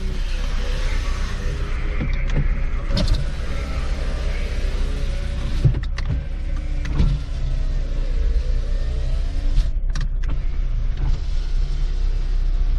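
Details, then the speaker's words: Car after starting, power windows tested: repeated smooth motor whirs that start, run steadily and stop cleanly as all four windows go up and down; all working normally. "All right, that's cool. We got up and down all 4."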